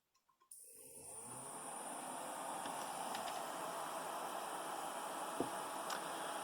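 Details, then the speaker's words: Computer power supply after an attempt to insulate its components: a faint, steady high-pitched coil whine over fan hiss remains from power-on; the fix failed. "yep and it's still there it is definitely still there so an unsuccessful try on this project"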